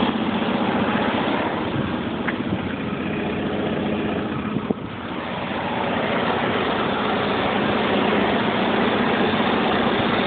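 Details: 1995 BMW 750iA M73 V12, 170,000 km, cold start: rough uneven idle felt in steering and chassis, stumbles on acceleration, with a faint regular metallic tapping about four per second, lower passenger side; seller suggested exhaust manifold hole.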